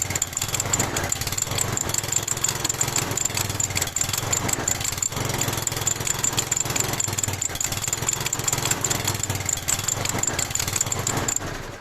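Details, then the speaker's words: Lawn mower single-cylinder engine smoking heavily, fast steady light metallic ticking at raised revs; cause suspected in the valve mechanism, valve-to-rocker clearance to be inspected. "Если в картере масло в норме, то, скорее всего, причина таится в клапанном механизме. В данном случае надо снимать клабанную крышку и убедиться в каком состоянии клапана, а также и зазоры между клапанами и коромыслами."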